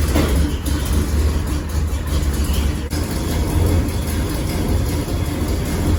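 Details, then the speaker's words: 1979 GMC Caballero with big-block V8: loud, rough idle with deep throbbing rumble; series of exhaust leaks, header-to-exhaust donut joint so loose it moves by finger. "this is my dad's Caballero Caballero GMC El Camino basically he has a pretty bad or a series of pretty bad exhaust leaks"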